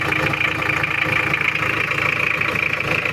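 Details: Mitsubishi Challenger 4M40 diesel, recently overhauled, weak power, oil spitting: harsh, uneven loud clatter at idle though smoother when revved.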